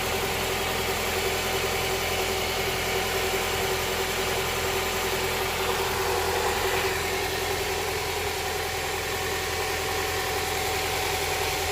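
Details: Honda Prelude SH after oil cooler/adapter gasket replacement, oil filter refitted, started to check for leaks: engine settles into steady, even idle with no misses, knocks or ticks; no leak seen after about ten minutes.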